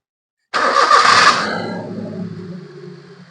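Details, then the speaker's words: Maruti Zen Estilo with low pickup, poor mileage and engine vibration complaint; after refitting with ignition connected and three bolts tightened, it starts quickly, idle control flares revs then drops smoothly to an even idle without the earlier vibration; normal start and idle. "അപ്പോ നമ്മൾ start ചെയ്യുമ്പോൾ ISC raise ആകുന്നുണ്ട് automatic ആയിട്ട് അത് താഴ്ന്ന് വരുകയും ചെയ്യുന്നുണ്ട്"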